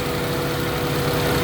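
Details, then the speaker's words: Honda Civic ESi, engine hot, complaint of idle dropping with AC and stalling, IACV checked: idle swells and hunts wildly after base idle raised; mechanic then resets idle adjustment to middle. "Ito mataas. Yan o. Wild. Nagwa-wild, no? Nag-wild. Kaya tinaas to kasi mababa minor mo."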